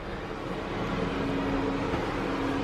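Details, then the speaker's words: New camper's LP gas RV furnace first run on a cool day, cabin about 60°F, heard through the vent: steady airy rush with faint low hum as the blower starts first, then burner kicks in; normal start-up, burning off new-furnace smell. "i didn't record it but as it as it was coming on and you could hear it through the vent you could hear it come on fan first and then i heard it kick in and they could actually hear the burner kick in so it's it's running right now"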